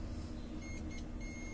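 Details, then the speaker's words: LG microwave control board that won't heat, relays not activating, Zener diodes shorted and transistors faulty: multimeter continuity beep in short bursts, then steady, across the second relay's pads; short circuit. "miren tengo corto el otro Relay tengo corto"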